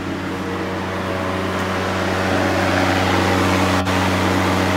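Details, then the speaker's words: 1991 VW Vanagon radiator fan, earlier stuck running on high; fuse and thermal sensor fine, no replacement needed. Fan now runs at low temperature and low speed with a smooth, steady, constant-pitch hum, no rattle or scrape: normal operation. "now when I turn on my fan you can hear the radiator so it's working properly"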